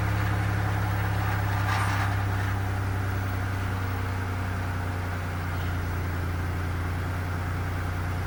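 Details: 1990 Oldsmobile Toronado Trofeo 3.8L V6, cold, after replacing lines for a previous ~2000 rpm idle: steady, smooth, slightly high idle with no misses or knocks; owner judges it normal cold idle.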